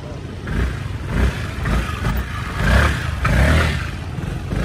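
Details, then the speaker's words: 2018 Honda SH300i scooter before repair, long-standing, louder when hot: loose uneven clacking clatter over throbbing low engine note swelling with each throttle blip, juddering pull-off; loud clutch and engine noise, cause unconfirmed. "quay để an anh test thử coi nó không có bóc nữa nó bị lì lắm kêu trong máy nữa K"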